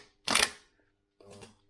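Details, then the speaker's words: Starter for Mk3 Cortina 2.0 Pinto tested on bench, possibly new old stock: two short clacks as pre-engage solenoid throws in, no whirr of motor spinning; starter seized, locked up. "no that's not right this sounds like it's seized this doesn't sound good no that's locked up"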